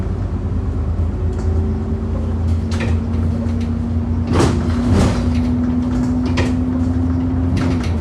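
Loud, sharp thumps over the road rumble, several in a few seconds as the wheels hit potholes; a knock somewhere in the suspension.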